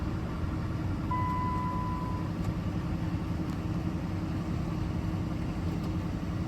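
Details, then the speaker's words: 2008 Jeep Liberty after no crank, no power, no communication fault, reinstalling fuse with jumper revived TIPM: quiet steady low idle with even rhythm and short chime, running fine; TIPM considered bad. "um so I guess I shocked that tip um back to life uh very odd and it starts"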